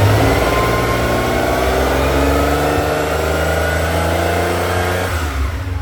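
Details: 1979 Ferrari 512 Boxer, four triple Webers after rebuild and tuning (previously spat and backfired, hard off idle): strong clean high-rev roar holds steady then drops off cleanly with no spitting or popping; healthy throttle response.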